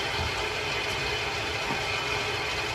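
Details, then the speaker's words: New Yorker six-section 175,000 BTU residential steam boiler refilling after a valve is closed, while fixing a defective, blinking LWCO that was overfilling: steady hiss of water flowing in, no chatter or hammering; normal automatic water feed. "We're gonna wait for us to fill back up. Usually a 30-second delay, sometimes up to 2 minutes, and we'll make sure it fills it up to the proper amount."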